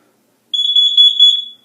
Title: Testing my carbon monoxide alarm (monthly test)